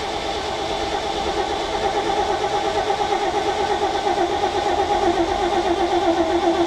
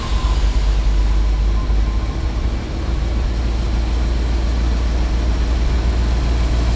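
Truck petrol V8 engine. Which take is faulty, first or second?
first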